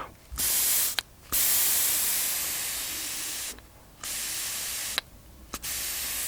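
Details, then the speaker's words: SIP Medusa T951 two-stroke generator carburetor, bowl off, jet not yet cleaned: short bursts of airy hiss starting and stopping cleanly as air is blown through; float valve opens and seals, working fine. "that means the floats working fine"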